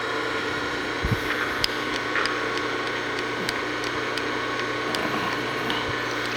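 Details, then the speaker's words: LeBlond lathe three-phase motor after bearing replacement and greasing while running, run 10–15 minutes until barely warm: steady, even hum with light handling taps and no rumble. Normal running. "I let this thing run for 10 or 15 minutes everything sounds good feels good"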